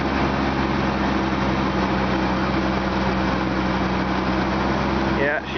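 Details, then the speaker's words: 1998 Jeep Cherokee 4.0L 5-speed, 222,000 km, cold start at -39°C with windchill, stiff clutch, gave trouble days before: rough, uneven running, revs sag and it nearly stalls, hesitating before it keeps running; cause not confirmed. "hesitating. Almost died. All right. Sounds like it's going to start keep running."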